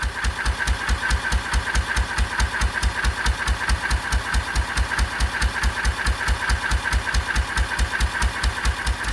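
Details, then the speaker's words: 1926/27 National 5V petrol-paraffin engine on kerosene, under load test, after new rings and magneto work, long exhaust with under-engine silencer plus Lister silencer: crisp even beats about 140 a minute, no knocks or misses; healthy running. "It's got a lovely sound to it. There's actually a silencer under the engine and the Lister silencer on the end, so it's very quiet."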